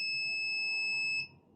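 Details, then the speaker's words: Laptop motherboard, multimeter continuity test on the 3.3 V rail capacitors near the controller: unbroken high-pitched beep reading zero ohms; 3.3 V rail shorted to ground after the second MOSFET. "so so clearly zero again so clearly we do have a shot our 3.3 is shorted and that is the reason why we don't have we have short to ground after the second mosfet"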